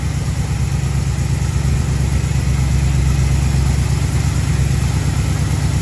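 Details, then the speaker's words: 1936 Chevy coupe, 350 small-block V8, HEI distributor, pre-warmed: strong steady rumble holding a fast idle with no dip after timing advanced; idle speed needs turning down. "what I mean about the revs going up, so now I need to turn the idle down."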